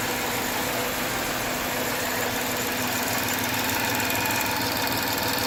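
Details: 2013 Jaguar XF 3.0 AJ126 supercharged V6 idling after engine repair, with fresh 5W20 oil, low coolant and low fuel. Smooth, even idle with a steady hum and no ticking, knocking or fuel leaks; sounds good.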